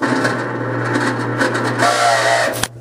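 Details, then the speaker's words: Parts washer pump run dry with no fluid, switch bypassed and wired direct: harsh, loud buzzing hum with a rough edge, then cuts off; owner suspects bad motor bearings. "it was so loud that it startled me like fumbled and dropped the camera anyways that sound uh that sounds like the bearings in the motor are uh are not good"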